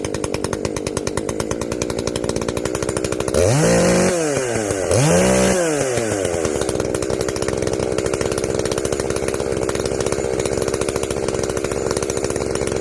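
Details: Echo CS-590 chainsaw after carb limiter removal and opened-up exhaust, high jet turned up a full turn plus low jet richened: fast, even two-stroke idle with two clean revs up and back down, no bog or hesitation; running well, not hot.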